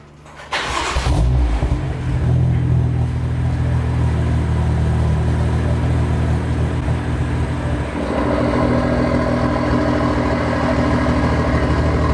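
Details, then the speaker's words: Turbo BMW E30 with a big Tomei part, back on the stock intake with an E30 mix retune, on a cold start: a short crank, then a steady, fairly quiet fast idle with an even low exhaust note. Normal cold start, not too loud. "Yeah, it's not too loud on cold starts. Turbo life, but I'm happy with it. It sounds good."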